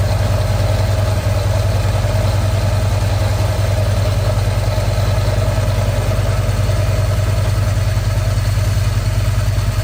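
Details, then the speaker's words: Harley-Davidson V-twin idling in neutral with the clutch pulled, new clutch chattering: rough whirring drone, identified by side-by-side comparison as a bad clutch bearing. "that's a bearing that is definitely cuz again you could definitely hear the difference once you did it side by side"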